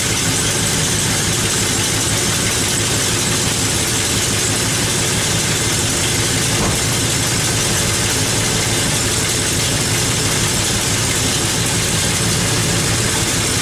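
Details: El Camino idling with an exhaust leak at the manifold, where the bolts on the back flange were missing. A steady idle carries a hissy, raspy edge typical of exhaust escaping at a loose manifold flange.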